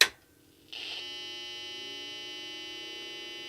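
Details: IBM PC 5150 motherboard with a makeshift EPROM adapter, AST Six Pack Plus card with 640K RAM, no clock battery: a click at switch-on, then a steady unchanging high buzzing tone; it powers up but fails to start normally, same fault as before.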